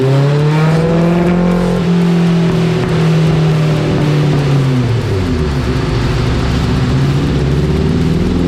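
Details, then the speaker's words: Dyno pull on a 1987 Suzuki GSX-R 1100 carbureted four: thick, muffled note climbing then easing off, running very rich; carbs cleaned and jets going down several sizes to lean it out. "so in this bikes case it was running rich as all hell so we ordered a couple different jet sizes and we went we went down quite a bit right now so it'll lean it right out"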